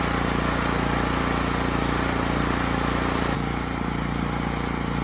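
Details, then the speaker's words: Homelite HG5000 generator after new stator and rotor fitted: single-cylinder engine chugs evenly but slow and laboured, under speed; hertz and voltage low, power output restored; fuel running out. "The engine speed is low, and the voltage is too."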